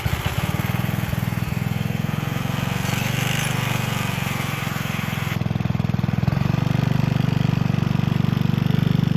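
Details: Gilson rear tine tiller after recoil cleaning, fuel seeping at tank/carburetor seam: steady even single-cylinder thump at working speed, holding firm as tines dig in; running healthy under load.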